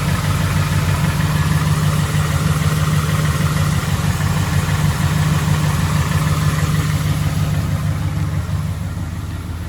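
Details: 2011 Ford F-150 5.0 V8 at idle: steady low rumble with a regular knock about three per second, a deep bottom-end rod knock.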